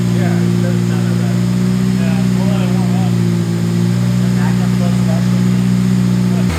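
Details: Honda K20-swapped CRX started up after exhaust quieting work: smooth, even low drone at steady idle, no knocks or ticks, mellow exhaust note; normal idle.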